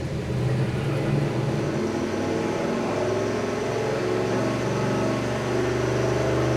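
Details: 1974 Mazda RPU with a turbocharged mid-mounted 5.3L LS4 on E85, first dyno pull: the engine runs loaded on the rollers with an unsteady, wavering note. Running poorly, traced to a dead, misplaced O2 sensor.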